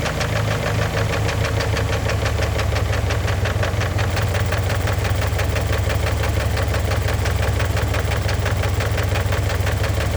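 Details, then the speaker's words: Warm engine at operating temperature idling after oil change and Lucas heavy-duty oil stabilizer added: steady, rapid knock over the low idle rumble; starts fine cold, knocks once hot; thick oil had masked it, stabilizer didn't help. "It starts up fine, and when it heats up, it starts knocking."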